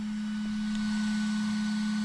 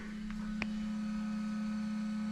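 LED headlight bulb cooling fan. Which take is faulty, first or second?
first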